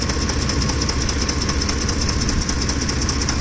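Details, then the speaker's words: Ford F-150 with 5.4L 3V Triton V8, engine hot: loud metallic clatter pulsing about two and a half times a second from the top end, occurring only when warm; timing chain suspected, cause unconfirmed. "This happens only when the truck heats up. Well, she's very loud, so. Wow, that's really loud."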